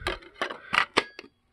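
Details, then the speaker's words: Lenoxx CDR-1902 CD clock radio, found outside in the rain, buzzer and laser working: five quick mechanical clicks and whirs with a CD loaded, then silence with no spin-up; disc fails to spin, cause unknown. "i can hear it going back it tries to spin but nothing happens well that's definitely something to look into"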